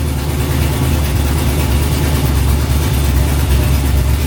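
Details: 1974 turbo Camaro with a heavy, lumpy, ragged chuffing idle after it wouldn't idle the morning after running fine, valvetrain-like clunking heard earlier, half the cylinders not firing; rough idle, suspected blown header gasket, compression check planned.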